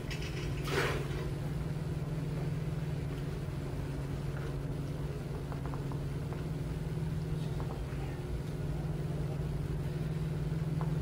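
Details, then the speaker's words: Small centrifugal pump with plastic tank, pump and pipe, after raising suction-side energy to stop cavitation: humming steadily with a smooth low drone, no crackling or rattling. "what did i do to stop the cavitation and then i bumped up the i raised increased the energy coming arriving at the pump"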